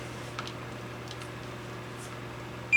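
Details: K7000 25-inch arcade monitor chassis that blew fuses: steady high continuity beep across rectifier diode D20/D21, a dead short, likely from hookup without an isolation transformer.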